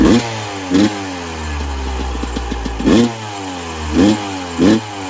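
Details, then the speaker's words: 1996 Yamaha YZ250 two-stroke, warmed up, pipe too hot to touch, before carb work: idles, sharp blips rise briefly then fall flat; bogs on bigger throttle while small blips okay, suspected carb pilot jet issue. "So I'll fire it up, warm it up, let you guys see it still idles. It just, like I said, bogs out like it shouldn't."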